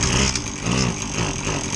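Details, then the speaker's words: Husqvarna 525LS two-stroke string trimmer on canned fuel, test-run after a carb repair for bogging on throttle: a steady, even buzzing run with no bogging or stumble, so the engine sounds healthy. "So we'll give this thing a test run."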